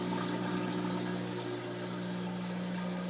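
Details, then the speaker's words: LG WM1832CW TROMM front-loading washer after drain pump replacement, test run: steady low motor hum with water gurgling and even pitch; normal drain pump operation. "that my friends is is the sound of a drain pump working"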